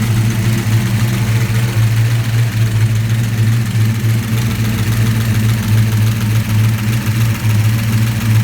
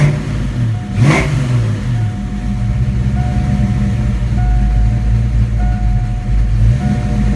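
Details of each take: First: 1987 engine just after Promaxx cylinder heads install, battery had been disconnected: idle hunts and rumbles unevenly for several seconds then catches and smooths; computer relearning idle, surge clears. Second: 1987 V8 after Promaxx heads install, rockers previously noisy: steady idle with one quick throttle blip, no ticking or clatter from the top end; normal running, now good.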